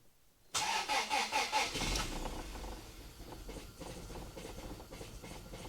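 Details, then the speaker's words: Toyota Altezza on a newly fitted Link ECU, first start after clearing TPS errors: starts after a few cranks, then uneven, hunting, lumpy idle; owner suspects individual throttle bodies not set properly. "Well, it does not want to idle very well, but it does idle. I suggest that's probably to do with the ITBs not being set properly."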